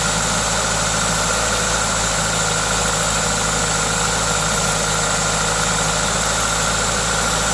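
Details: 2ZZ-GE engine at normal idle with an induction kit fitted: steady, even idle with a constant hiss from the open intake filter, no knocks or misses; engine sounds healthy.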